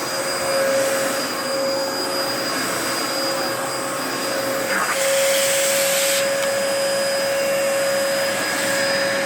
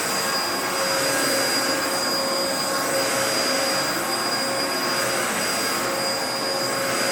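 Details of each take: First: 2004 Dyson DC14 Animal vacuum, fixed up and on its first run since a new HEPA filter fitted: a steady roar with a thin constant high whine. The owner says the bearings sound a bit funky, whining after a while. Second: 2004 Dyson DC14 Animal vacuum, repaired, first run after fitting a new HEPA filter; steady high-pitched whir with even airflow and faint constant tone, no rattles or dropouts; running normally.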